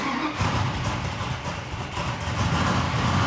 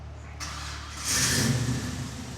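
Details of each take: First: 1973 Plymouth Road Runner, 340 cubic inch V8, 4-speed, mostly stored for years, first start before tune-up: lumpy, uneven running with speed wavering and surging about every second, barely running; compression later tested good. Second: Chevelle SS big V8, with a new one made up and run from the compressor top to the cylinder head that tightened things up: starter cranks briefly, then it catches and settles into an even idle with no rattle, way better, running smoothly.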